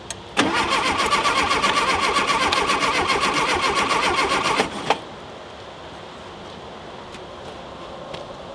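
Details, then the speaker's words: Rare VW Super Beetle Baja Champions Edition, first start attempt in years: starter spins engine at an even quick beat about four seconds with no firing; cranks but won't start, timing and spark to be checked. "That should have just fired right off. And it did not."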